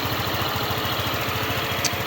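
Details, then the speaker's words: Euro Samurai 155 scooter after tune-up and valve clearance reset (was loose and ticking): steady, even idle with soft regular pulse, no top-end tapping; valve train quiet and healthy, normal idle. "Ayan, tahimik na makina niyan, all goods na yan."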